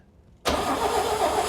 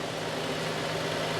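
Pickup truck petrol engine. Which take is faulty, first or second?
first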